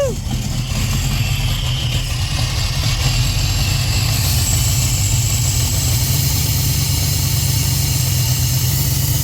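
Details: 1967 Chevy Nova small-block Chevy with FiTech EFI, first start after cleaning a stuck injector that flooded fuel into the oil: engine catches and settles into a steady, even low idle rumble with no knocks or stumbles.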